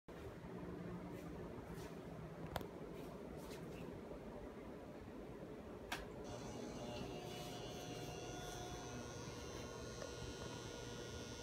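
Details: Old ceiling can-light fluorescent bulb in an upstairs foyer, too noisy to use and awaiting replacement; faint steady low electrical hum with a thin higher buzz, ageing fluorescent lamp hum.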